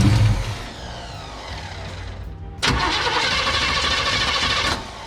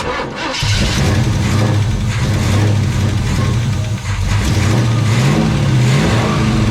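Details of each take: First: Chevelle after sitting 15+ years in a Texas barn, last run caught fire: steady cranking with a brief louder burst but won't run; carburettor fuel-starved, owner suspects mechanical fuel pump isn't pumping. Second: Chevelle that sat in a barn 15+ years and caught fire the last time it ran, with the failed mechanical fuel pump swapped for an electric pump: catches after a brief crank, blips, settles into an even idle, no misfire; healthy start.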